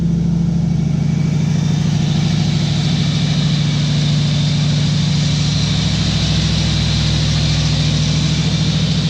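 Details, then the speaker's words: 1955 Chevy truck engine first running after refitting the distributor, not yet timed: steady even low rumble with a smooth regular beat, no knocks or misses. Normal running. "all right it's righted let's check it out sounds pretty good throwing out some a little there but sounds good"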